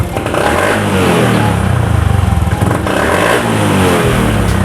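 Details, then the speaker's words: Honda Beat FI scooter revving: revs stumble and lag behind the throttle, acceleration is slow and output doesn't match the grip. This is throttle hesitation, before repair; the air filter was also dirty. "Mesinnya tersendat-sendat dulu sebelum tenaganya meningkat. Seperti itu. Jadi, respons akseleratornya juga tidak tepat."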